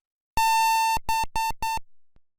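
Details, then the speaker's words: BIOS POST beep code: one long beep followed by three short beeps, which fits the long-then-two-or-three-short pattern most BIOSes use to signal a video card error. "If there is a problem with the video card, most BIOS will have a long beep followed by two or three short"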